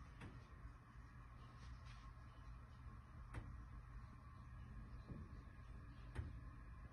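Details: Top-floor (10th floor) corner condo in a 2020-built Montreal building, boilers and AC not above the unit: faint irregular single thuds every second or two from the ceiling over quiet room hum, intermittent banging, source unknown.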